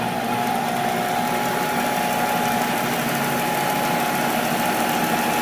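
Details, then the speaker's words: Monarch 10EE lathe mid-refurb with drive tubes installed, first power-up, open belt, speed turned down: smooth steady hum with thin constant tone, no grinding or knocking; spindle pretty quiet, normal running. "all right so we're definitely spinning here pretty good our tubes are lit let's see them glowing it's actually pretty quiet spindle's pretty quiet"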